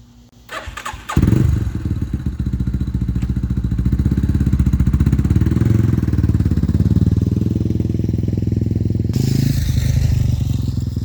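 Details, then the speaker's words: Warrior 350 single-cylinder after a valve adjustment (exhaust about 0.18, intake about 0.08), fixing a head tick caused by a missing intake adjuster bolt found on the exhaust side; starts and revs with an even, strong thump, no miss or clatter; normal running. "uh that sounds a lot better all right so we're going to take this thing out for a little rip show you that everything's all good"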